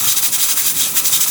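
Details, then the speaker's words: Manual stovetop pressure cooker cooking githeri (beans and maize) with the heat reduced; a sharp continuous steam hiss gently pulsing as the weight knob turns: normal steam hiss at cooking pressure. "There's already enough pressure in the pot to cook the food. As you can see, it's still turning, meaning there's enough pressure in there."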